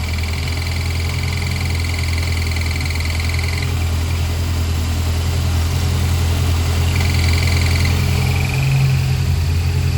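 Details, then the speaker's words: 1993 Honda Civic EG Si with an S2000 clutch master cylinder installed without its spacer, idling: a thin high whine comes and goes as the clutch fork is moved, indicating a worn throwout bearing. "when you take the car for a ride when you take the car for a ride the throw bearing will start making noise so you just go down by the fork move the fork see how much it's shaking"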